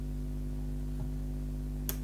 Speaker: do it we'll look you hear the clicking sound so if you dust it we don't use power but at least you see look there is eerily contacts moving when you press the main conductor